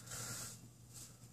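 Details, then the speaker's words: Mr. Heater Little Buddy propane heater, model MH9BX, single element, just switched from pilot to high; soft even gas hiss, no popping or sputtering, blue propane layer burning off before it turns orange, normal quiet burn. "there's a layer of propane being burned up that blue will disappear it'll turn orange"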